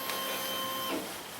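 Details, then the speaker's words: 2003 Triumph Speed Four after replacing leaking plastic fuel tank fittings with stainless steel ones and resealing O-rings: steady high electric whir for about a second at key-on then stops; normal fuel pump priming, no leaks after pressurizing. "Uh fuel has been pre systems been pressurized now for about 2 minutes and uh no leaks. No leaks in the base plate."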